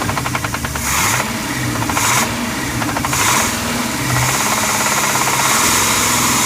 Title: 1990 454 Crusader rod knock